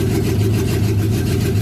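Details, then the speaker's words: Triton truck on a chilly morning, fast idle above 1,000 rpm, then dropped into gear: uneven stumbling beat with an occasional skip. Misfire under load with no power; plug wires changed and injectors tapped helped some. Owner suspects an injector, coil pack or plug wire. "I got it running a little bit better, but it still sounds like it's got a damn miss. How it sounds when I put it in gear"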